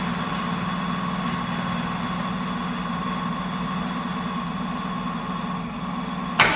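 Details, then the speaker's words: Opel Manta hatchback with Ascona front end, first start after about 20 years sitting, camera at the front; idles slightly uneven and lumpy with no clean rhythm, a little missy: rough running, cause unconfirmed, owner plans to raise idle and check points and distributor. "well it runs a little bit Missy but it hasn't been run for 20 years or so"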